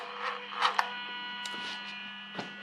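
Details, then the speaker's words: Toyota 1UZ-FE VVT-i V8 on plug-and-play manual relay/fusebox harness with transmission emulator, correct airflow meter, key on engine off, in neutral: steady low electrical hum with faint high buzz from throttle motor; normal throttle body hum. "We've got it powered up and we can hear the throttle humming. So without the engine running, it does"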